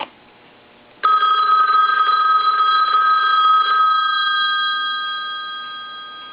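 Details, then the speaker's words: Later-model wood wall telephone after repair, ringer test: bright steady metallic bell ring with sharp start and slow fade, clean even strikes; normal telephone bell ring. "Another thing that I want to do is I want to go ahead and ring this telephone."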